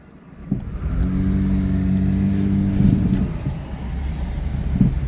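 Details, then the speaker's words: Kia 4WD at about 220,000 miles, after its plugged air filter was fixed, gives an even engine hum that rises and holds as it pulls away, with no knocks; smooth despite a noted exhaust leak. "Okay, we have an exhaust leak, but the car is smooth. Car is smooth."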